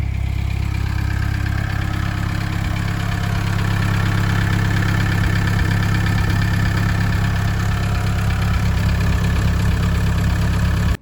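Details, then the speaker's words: 1988 Volkswagen Type 3 Transporter Synchro idling after a new exhaust pipe replaced the broken one: a steady, even, deep low rumble with no puffing, ticking or rasp. The exhaust sounds sealed and healthy. "Okay, so now the new exhaust is on. I'm just going to start the car, see if it's any better."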